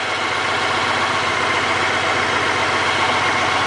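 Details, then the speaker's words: Honda GL1800 Goldwing flat-six with about 40,000 miles, revived after sitting, fully warm after about 15 minutes: a smooth, even idle with a soft steady purr and no knocks, ticks or misses. Healthy engine. "This is what a Honda Goldwing engine should sound like at 40,000 miles."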